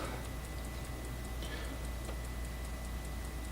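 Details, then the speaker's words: Roland S-330 sampler booting from a freshly written 3.5-inch floppy OS disk: quick regular light ticks about four a second over a low steady hum; floppy drive seeking and loading normally. "i hope sounds like the disc is working uh yeah yeah loading yes loading"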